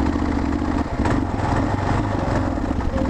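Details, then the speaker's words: Kawasaki KLR650 single-cylinder motorcycle breaking down on the road: thumping idle falters, sags and struggles back uneven and clattery, close to stalling; owner doubts sudden fuel issue and suspects mechanical engine trouble. "I have faith in you god it sounds like [ __ ] oh man this is so sad"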